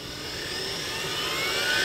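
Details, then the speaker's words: Perfect brand 10L commercial vacuum motor on variac with clamp ammeter, testing for short: smooth, even whir rising in tone as voltage climbs, 2 A at 7 V to 2.6 A at 9 V; no rubbing or crackle, spins freely. "okay 2 amps at 7 volts and i'm starting to hear the motor spin 2.6 amps at 9 volts"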